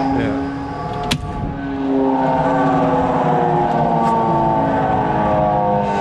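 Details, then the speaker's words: HVAC system that has been blowing fuses, in an area with frequent power surges: the blower ramps up with a steady droning hum from a failed motor bearing, and the motor needs replacing. "Once the bearing's gone, you can't do nothing about it. Hey. You kind of quiet the noise, but once right. The bearing's gone, you gotta replace the motor."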